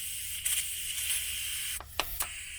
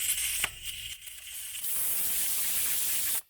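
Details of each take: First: ARB tire deflator on a tire valve: thin, steady high hiss with little air escaping because the valve core isn't fully unseated from the valve stem body; turning the plunger more turns fixes it. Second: ARB valve-stem tire deflator on a tire: after a brief dip, loud steady full hiss of escaping air once plunger is turned enough to fully unseat the valve core; deflating properly.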